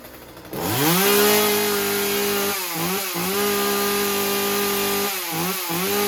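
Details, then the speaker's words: Husqvarna 36 chainsaw after fixing a stuck carburetor needle; held at high revs, a steady buzz with stuttering burbles that cleans up as the rich high-speed mixture is leaned slightly, left not lean. "I didn't lean it out too much I don't want to run these lean because you don't need to gas is more power and it's not it's not stupid Rich it's just right"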